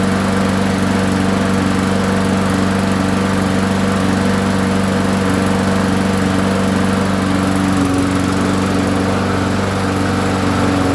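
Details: Trash-picked push lawnmower long left sitting, after a new gasket, oil check and priming: small single-cylinder engine holds a steady, even buzzing run at constant speed with no stumbles or knocks; normal running.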